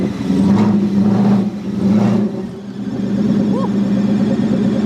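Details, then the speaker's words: Wrecked Mustang GT bought as non-drivable, first start with no exhaust at all: loud open-exhaust idle drone with a few quick high chirps over it; owner suspects a squeaking belt or pulley, not confirmed. "Something sounds a little weird. Yeah, you can definitely hear it."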